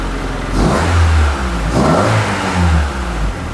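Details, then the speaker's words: EF sedan after swapping back to the old automatic ECU, which powers the fuel pump (new ECU gave no fuel pump): engine catches, settles to a steady idle, takes a couple of clean blips with smooth return; healthy. "Swap back to the old ECU. That's the automatic one, but have fuel pump. And it starts up and idles decent, so."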